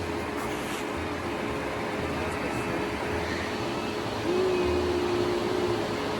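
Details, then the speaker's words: 2012 Nissan Murano after radiator replacement and coolant refill, next day: quiet even idle with cooling fan audibly whirring, no knocks or ticks; running fine after repair. "she's running fine I mean fans going I can hear it"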